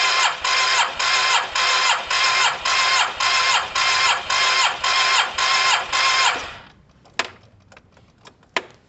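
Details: Cheap Yamaha TMAX, second spark plug, coil and lead out for spark check: raspy starter chugs in regular pulses about two a second for six seconds, never catches; some spark flickers seen, weak, coil and wiring to be checked.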